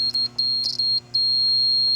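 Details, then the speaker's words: 2003 VW Passat 1.8 turbo with a P0011 code, VVT solenoid control circuit jumpered to a test light: short high-pitched chirps in quick bursts each time the lead touches ground, energizing the solenoid. "and this is now energizing the solenoid if it's to be energized."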